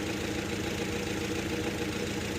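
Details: 2011 Nissan Frontier 2.5 with code P0300 running rough, compression tested good: idle with a slightly uneven, lumpy beat as cylinder 3 misses. Single-cylinder misfire at idle.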